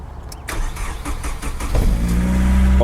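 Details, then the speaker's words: SR20DE Nissan Primera, manual, with ignition lights normal: the starter churns steadily, about four beats a second, but the engine never fires. It had earlier run out of fuel, and a fuel issue is suspected but not confirmed. Cranking, no start. "way this is gonna be one of those like diagnosing a cranking no start video just crank it just crank it like I said it wouldn't start for the life of it"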